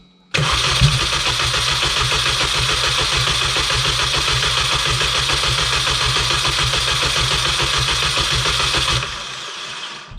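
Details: R53 Mini that would not start after refueling from cans: steady starter cranking at about three and a half beats a second for nine seconds that never catches; crank no-start, cause unknown. It began to try firing when a spark plug was removed.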